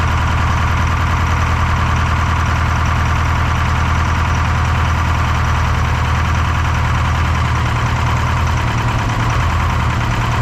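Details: Detroit 4-53T turbo two-stroke diesel, 9G90 injectors, modulator off for full rack: loud steady drone with uneven lumpy beat; dead cylinder, injector number two (coldest on IR gun) not firing on screwdriver isolation; low fuel pressure suspected.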